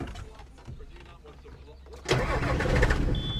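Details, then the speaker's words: John Deere 7420 with old Stanadyne DE10 pump and stored ECU 1076 fault, before pump replacement: quiet cranking, then diesel catches with one lumpy chug before settling to steadier idle; rough start, pump suspected. "Oh, look at that. Oh. Gave one little chug and then it smartened up. Let's try it again and see if it'll act up."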